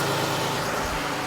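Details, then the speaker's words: Jeep Grand Cherokee 3.6 L Pentastar after rocker arm and camshaft replacement: a short, steady, even idle with only a faint injector patter; the previous ticking noise is gone. "You just hear some injectors. That's all you hear."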